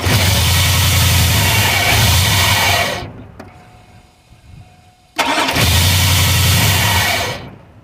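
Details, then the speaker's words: 2002 Chevrolet Avalanche with a 5.3 Vortec V8 and a cold-start problem: two bursts of steady starter cranking, each about three seconds, with the engine never catching or firing. Crank but no start. "Nope, I'm still dead."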